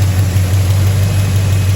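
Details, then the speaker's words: Fire-damaged, abandoned 1977 Chevy Silverado V8 after new front seal, timing set and vacuum advance reconnected, low on fuel: deep, steady idle rumble with no knocks or ticks; running smooth and even. "once I got it all timed, I came back, hooked up the vacuum advance. It's running really good now."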